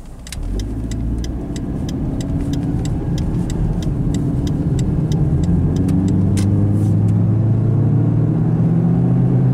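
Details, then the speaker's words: Turbo PT Cruiser convertible at highway speed: deep steady drone over road noise, rising slowly in pitch as speed builds, from a really bad worn wheel bearing, the worst the owner has heard. "wheel bearing guys that is the sound of a really bad wheel bearing that's like the worst I've ever heard"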